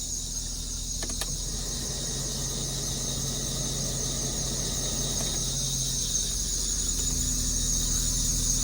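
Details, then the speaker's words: Car at auction, idling with AC off: steady shrill squeal over an even idle, no knocking, with burning-rubber smell; suspected slipping belt, not confirmed. "Belt squealing. Wow."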